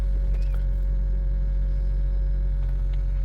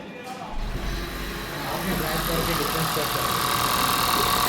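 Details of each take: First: 2014 Honda Vezel hybrid after fixing P0303 misfire by finding a faulty injector and clearing codes: smooth even idle with no stumble; rescan shows no codes. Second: 2014 Honda Vezel idling with an uneven, stumbling beat about four times a second: code P0303, cylinder 3 misfire; injector and plug checked one by one, and an injector problem is indicated.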